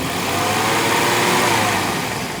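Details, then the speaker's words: Jaguar XJ40 after engine swap, running on cheap flush oil, about an hour's run time, near operating temperature: smooth, slightly high idle with a light busy injector tick and no knocks; healthy, good oil pressure, idle needs adjusting. "but engine does sound nice and healthy idle's still high need to adjust that oil pressure is good"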